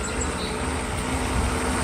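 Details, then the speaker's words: Mercedes SL600 V12 with an overhauled throttle body for an ASR fault, warmed up a little: a low idle that lumps and wavers and makes the engine rock. Blamed on known intake vacuum leaks, unrelated to the throttle. "I have I have intake leak lots of vacuum leak on the intake so you can see the engine rocks but again that has nothing to do with throttle our situation here is the ASR"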